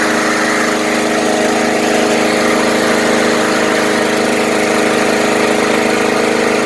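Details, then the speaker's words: Murray Select 20-inch mower with 4.5 hp Briggs & Stratton engine after tune-up: cleaned and wire-brushed, coil air gap reset to four thousandths, HD-30 oil, stop bar clamped. Small single-cylinder runs with a steady, even beat, no misses or surging, "sounds brand-new"; normal running. "wow what a difference it sounds like it's brand-new"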